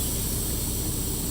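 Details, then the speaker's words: Truck trailer air supply with the knob pushed in, brakes released, while setting up to move the trailer tandems: loud, even rushing air hiss with a low rumble underneath, no pulsing; normal air feeding the trailer. "That hissing noise, if you can hear it, is air being supplied to the trailer."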